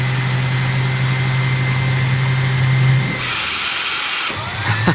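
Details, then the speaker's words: 2006 SEBO Airbelt K2 Volcano vacuum on high power during a sealed-nozzle suction test, reading about 18: steady motor hum, then the brush tone changes and drops away as suction rises. The turbo brush stalls. "The turbo brush stops. Oh, that's funny."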